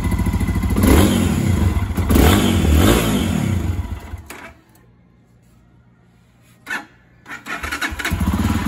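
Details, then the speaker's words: Lifan KPX 250 fuel-injected single-cylinder enduro in neutral revs roughly, hesitates, dies and coughs back to life on quick throttle; stalling at idle and on quick acceleration, fixed by adjusting the throttle position sensor. "we got a little bit of hesitation there"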